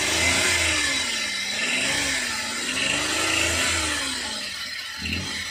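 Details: Suzuki K6A engine in DA63T, manual, with hard starting and engine noise problem; revs rise and fall with a whining tone tracking rpm over a rough hiss; cause needs diagnosis.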